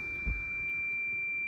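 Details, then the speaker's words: Toyota Land Cruiser 2UR engine, cranks but won't start after running out of fuel, with fuel pump primary circuit code: steady clear high tone in quiet cabin; warning chime from an ABS unit motor low-pressure code that won't clear. "मतलब ABS unit की जो मोटर होती है उसका pressure low है, उसकी वजह से ये कोड क्लियर भी नहीं हो रहा। ये सामने हम कर रहे हैं लेकिन क्लियर नहीं हो रहा, ठीक है। ये जो बीप है वो इस वजह से कर रही है।"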